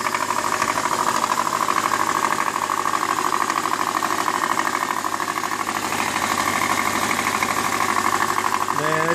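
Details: 2003 Subaru Baja, 2.5 EJ25, 123k, 5-speed, cold start: very loud fast knocking in time with engine speed, right side toward the front; mostly fades after 3-4 minutes warm-up; metal shavings in oil, suspected rod knock.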